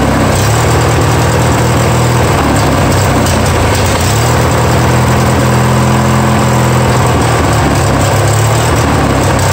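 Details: Free Yard Machines mower, 20 hp twin, first start after sitting; loud engine hunts, stumbles and surges, won't idle down; no knocks heard, owner pretty sure it just needs carburetor work.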